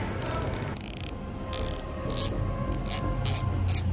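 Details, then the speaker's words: Goldix GDX370 MTB rear hub, 60T ratchet, new and not yet installed, spun by hand: bursts of fine, rapid, even freewheel clicking with low rumble; healthy ratchet. "Ito yung tunog niya mga idol, sound check sa"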